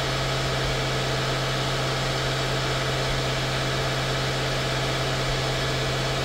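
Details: 2016 Mercedes-Benz S550 W222 after ignition coil and spark plug service: smooth, even low hum, steady idle with no misses, knocks or ticks; normal idle.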